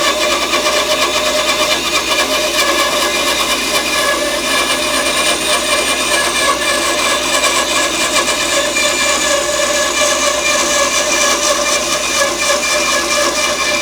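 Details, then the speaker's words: Grizzly bandsaw resawing glued-up boards: steady, hissy, high-pitched cutting roar with no low hum, even for the whole pass; normal cut. "It's a very slow process. It's loud, it's dusty, but I'll be pausing it a lot along the way."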